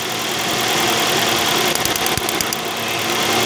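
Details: Toyota Vios at idle running rough with an irregular stumble: misfire traced to one ignition coil that does not click when tested, found by swapping coils between cylinders.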